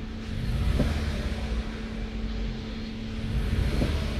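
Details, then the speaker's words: Toyota Avalon with engine misfire: uneven rough idle with irregular stumbles and thumps, shaky RPM, and check engine, traction and ABS lights on; the mechanic suspects an injector, unconfirmed. "So bale ano to ah palyado makina engine missfire ang symptom ang problema ng unit na to."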